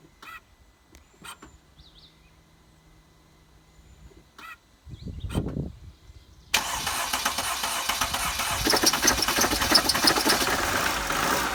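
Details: 2012 Mercedes Sprinter diesel van, 175,000 miles, after replacing leaking injector seals on two injectors: cranks briefly, catches and settles into a steady, even clatter with no misfire or sputter; healthy idle.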